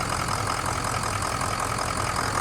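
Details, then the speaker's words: 6.0 Powerstroke diesel ('03) after fuel injector job, cold-weather start warming up: steady even idle with smooth low rumble, little smoke, no knocks or misses; engine sounds good. "It honestly sounds good."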